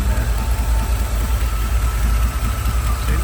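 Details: 1987 Chevrolet K10 4x4, 350 V8 fuel injected, automatic, idling with AC compressor belt off. Deep, steady rumble with even beat and no knocks, misses or squeals; healthy V8 idling smoothly.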